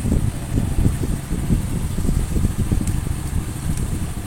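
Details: Honda Supra X 100 single idling after the blocked crankcase breather hose, which had caused repeated oil seal leaks and overheating, was replaced with a new hose; even putter, no knocks or hiss, breather now flowing, healthy idle.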